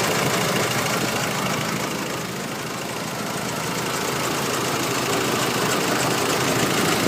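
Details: Nissan YD25 diesel at idle with a steady rapid ticking knock about three per second over rough running. The owner wonders whether it is injectors, timing chain, belts, pulleys or turbo; the source is unconfirmed.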